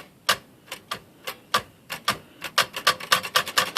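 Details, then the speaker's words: Royal Aristocrat (Safari-type) typewriter. Sharp woody clacks, quickening to about five a second, as the space bar is released with no cushioning: space bar clunk from rock-hard rubber cushions, fixed by replacing the pads. "So it's on the space bar down here. You can hear it. It just makes a pretty loud clunk when you let go of that bar."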